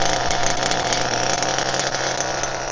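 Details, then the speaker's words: HPI Firestorm nitro RC truck, primed, preheated and glow-started after fixes for stalling when braking: a steady, even high-pitched buzz with no misfires or surging; the stalling is resolved and the idle is normal. "however the issue I had before is resolved so let's accelerate it up"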